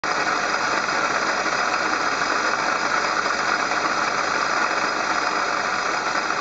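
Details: Engine-bay noise complaint traced on inspection to the water pump: steady hissy whir with a faint high whine over the idling engine, no knocking; water pump bearing noise.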